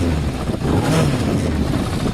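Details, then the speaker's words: Average stock Yamaha motorcycle (not the Honda CB250 bobber) idling: steady, low, even exhaust burble with no knocks or misses, not loud, somewhat boring sounding; normal idle, though a clutch basket rattle that disappears with the clutch pulled is noted. "You know, it's not loud. It starts a bit boring sounding."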